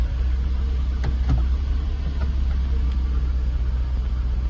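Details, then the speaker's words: Jaguar XK8 V8 running after first start since 2015 on old original petrol, new oil and fuel pump, in reverse: deep, smooth, even rumble with no knocks or misses under light load; engine management light on. "it sounds fantastic let me uh I'm just going to turn it off and turn it on again see if that oh God that pedal stinks"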